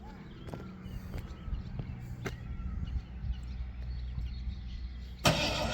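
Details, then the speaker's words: 351 V8 installed in truck, ran well out of the truck: low uneven idle with scattered sharp pops and one loud shotgun-like crack; rough running with backfire, cause unclear. "Put it in the truck now, it won't. Now it's ear piercing. Sounds like the shotgun's going off."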